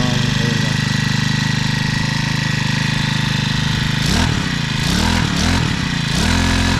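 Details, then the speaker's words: New Honda GX35 clone grass cutter four-stroke on gasoline, first start of break-in; settles into steady, even idle with a few light throttle blips after four seconds, sounds healthy. "At ito na po guys, maandar na po yung mower natin. Yan. Yay! Ang ganda ng tunog."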